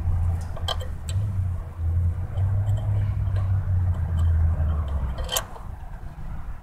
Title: Ground cable causing rough idle on mazda protege 00 1.6l